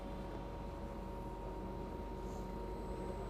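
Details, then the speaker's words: Inverter AC under test after dead PCB repair: compressor switches on with a steady low hum and faint constant whine under load, U-V-W voltage about 151 V, no error shown; normal running. "आपको यह आवाज सुनाई दे रही होगी य compressor की आवाज जो है देख सकते हो आप लोग य जो हमारा कंप्रेसर जो है ऑन हो गया"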